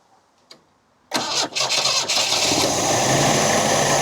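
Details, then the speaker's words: MGB, low compression on two cylinders, first start after work; timing possibly too advanced. Catches quickly, then a rough idle with revs going up and down because the choke would not stay out. "The choke was um not staying out. That's why it was going up and down to begin with. That was me trying to keep the bloody choke out."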